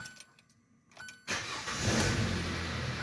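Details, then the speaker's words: Hyundai Tucson after cylinder head repair for misfire, later restart: brief crank, catches at once and settles into a steady, even idle with no stumble. Normal start, no misfires, no check engine light, no oil leaks. "Starts right up. It's running pretty good, guys. I'm not gonna lie. Nice and smooth, no misfires, nothing."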